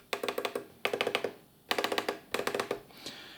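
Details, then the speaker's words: Pioneer CDJ-200 DJ player, reference sound of a normal tactile switch before the faulty cue and play/pause switches: crisp, sharp clicks in quick bursts of five or six presses, each a clean snap; healthy switch. "So listen to this. This is a sound of normal switch."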